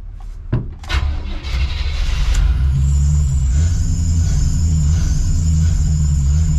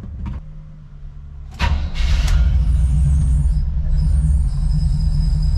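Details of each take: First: Chevy square-body crew cab TBI truck after cap and rotor tune-up: cranks, catches, runs briefly at raised speed then sags and dies unless held on throttle. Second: Chevy square-body crew cab TBI truck that wouldn't idle after tune-up; after fuel pump replacement, brief crank then steady low idle without stumbling; screeching at start suspected from failing smog pump.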